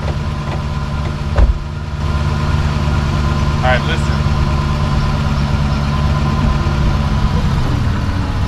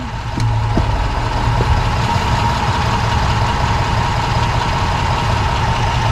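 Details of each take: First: 2006 Dodge Magnum after rear differential bushing replacement: steady idle then one heavy clunk when shifting into reverse; owner suspects recent driveline or differential work came loose, nothing obvious found. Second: 2006 Dodge Magnum after replacing rear differential bushings with Prothane, shifting into drive and reverse at idle; steady rumble, only a faint soft thud on engagement, no clunk; everything tight.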